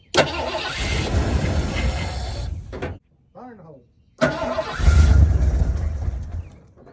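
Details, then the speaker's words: 1986 Ford Bronco 351 Windsor V8, sat about 15-16 years, after spark was confirmed and the coil wire reconnected, with fuel poured into the carburetor: it catches, runs rough, dies, then restarts and revs. Nothing rattling. "it definitely started H let's give it another little drink here didn't sound too terribly bad either"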